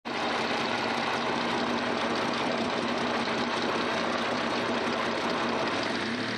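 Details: Mitsubishi 3000GT VR-4 / Stealth engine running at steady speed with a fast, light, even ticking; owner suspects lifter tick, not confirmed.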